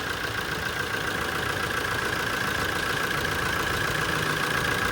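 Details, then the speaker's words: Toyota Innova 2.8 diesel, update on an engine that had run with a rattling clatter, started after long cranking to bring diesel up: even, steady idle with a fast, regular beat and no knock or rattle; engine now runs quietly and smoothly. "Tahimik na pati andar niya eh."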